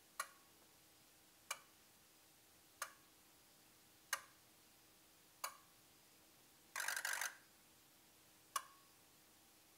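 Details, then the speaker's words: Ford 6.0 Powerstroke diesel no-start diagnosis, injector buzz test cycling all 8 injectors then each individually: crisp, evenly matched clicks about every second and a quarter plus a short rapid buzz burst; healthy buzz test. "So I'm going to show a quick clip here of what that sounds like and what a healthy buzz test should be like."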